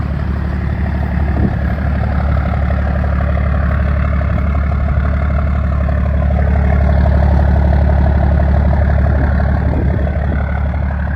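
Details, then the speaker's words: 1st Gen Dodge 12-valve Cummins diesel with 5-speed manual, started after fitting a new exhaust tip: deep, even idle rumble, about four beats a second, with no misses or knocks. Normal, healthy idle. "Sounds good. Sounds really good."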